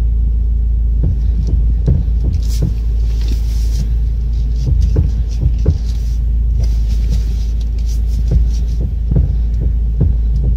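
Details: Car steering column rocked back and forth: dull irregular clunks about once a second under a low rumble. The upper steering shaft universal joint is worn, loose and broken, and should be checked at a workshop.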